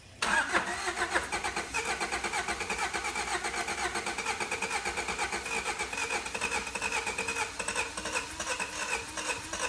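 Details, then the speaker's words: Four-cylinder Honda engine, compression about 100 psi rising over 200 with oil, suspected worn bottom end, oil added to all cylinders after spark plug thread repair: long steady starter cranking, wants to start but never fires; low compression no-start. "as you could hear it definitely sounded like it wanted to start but I've been cranking on that starter so long I'm surprised that it still works"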